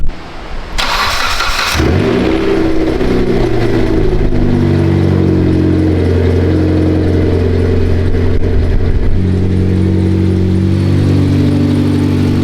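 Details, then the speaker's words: Mitsubishi Lancer Evolution X during rebuild, brake lines replaced, coolant being topped off and fluids checked: cranks briefly, catches at once and settles into a smooth, steady idle with even firing; starts right up, a healthy start. "This thing starts right up, fires up,"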